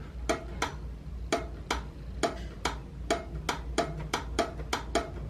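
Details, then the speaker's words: Old washing machine pressure switch, cleaned after being totally clogged, now clicks crisply and rapidly, about fourteen in five seconds, when blown into: the switch working normally again. "That's the pressure switch in there. That's what it wasn't doing that earlier when I was blowing into it. So it was totally clogged."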